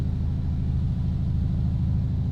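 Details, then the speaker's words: Stolen Demon 170 brought back to running and on its first test drive, not yet aligned: deep, even V8 rumble under road noise with no knocking, ticking or grinding; it pulls smoothly and sounds healthy. "Man, she's running great, drives straight as an arrow, even though we haven't got it aligned yet."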